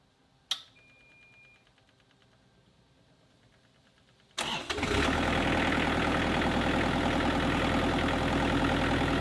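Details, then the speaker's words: Kubota KX121-3 excavator after replacing and tensioning the water pump/fan and A/C belts. The diesel cranks, catches after a few seconds and settles to an even idle with the former belt squeal gone. "there was no more squeak and I am really happy now because the machine can operate quietly and no more Super annoying sound coming from the back end"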